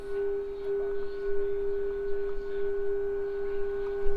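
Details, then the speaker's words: 1948 Philco 48-482 AM/FM/SW console radio during alignment after repair, signal generator set to 710 kHz for first push button: clean steady tone over faint hiss, slight waver beating against the real station; normal tuned-in test tone. "You can kind of hear it actually beating against the actual 710, but that's good."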